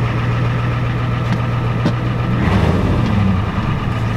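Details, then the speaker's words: Ford F-250 with the 7.3 IDI diesel and diesel treatment added, at idle: a steady, even diesel clatter with a constant low drone and no misses or knocks. The engine sounds good, though the transmission's reverse is a little bad. "it sounds good sounds good"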